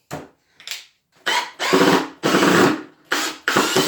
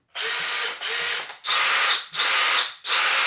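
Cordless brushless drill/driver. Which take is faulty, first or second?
first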